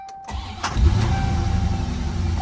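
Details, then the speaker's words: 1990 Corvette C4 V8 (ZF 6-speed, Z51) barn find after 30 years, first start on fresh E5 fuel with old fuel drained: short crank, quick catch, steady even idle; the known running fault still returns later. "Wow. Straight up. So, I'm going to leave it idling for a few minutes and I'll give you an update shortly."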